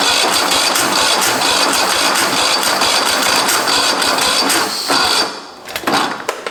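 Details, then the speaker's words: Husqvarna 54-inch deck zero-turn mower from a shed, cranked with a little 2-stroke poured down the carb: fast uneven cranking that never catches, a few sputters as it dies; fuel present but likely clogged line. "But for right now, I know there's fuel in it. So there's something clogging the fuel line or something's not running correctly."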